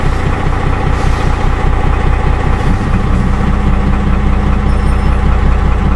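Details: Dodge Ram 12-valve Cummins diesel, cold start at about 36°F with a 7s 2.5V/2600F ultracapacitor pack wired in parallel to the batteries: settles straight into an even idle clatter at about two and a half beats a second with no stumbling, as the alternator charges at about 13 V.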